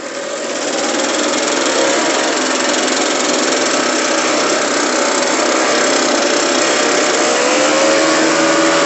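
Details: Echo PB-580T backpack blower two-stroke after throttle swap from another Echo, replacement carburetor and new spark plug, warmed up, no air filter: steady high-pitched drone, even speed, clean rising tone; normal running.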